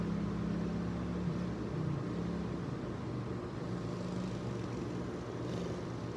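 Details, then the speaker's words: Old carbureted dirt bike after the idle adjustment screw was given a full turn: steady even low putter holding speed without stumbling or hunting; idle fixed, runs good. "so there she is running running like it up looks good running good everything seems to be good"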